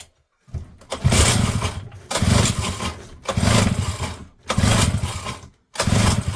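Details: Small JLO two-stroke on the bench, fuel tap on, full throttle, air cleaner cover missing: repeated pulls, each catching in a short ragged burst then dying, so it won't keep running. Carburettor strip-down is considered; cause not confirmed.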